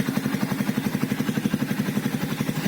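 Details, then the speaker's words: 2012 Yamaha Byson carbureted, after full service with oil and oil filter change, previously rough with noisy chain on left side: even steady putter about ten pulses a second, no clatter or chain rattle; smoother normal idle. "Nah ya kan bunyinya itu lebih halus dari sebelumnya"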